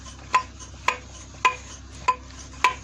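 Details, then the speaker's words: Removed old front strut from a Renault Logan/Sandero/Lada Largus rocked by the spring, knocking over bumps (first suspected ball joint); five sharp metallic knocks about every half second; worn front strut. "я старую подвеску за пружину был стук сейчас вам покажу старую подвеску и вы поймете как она стучала"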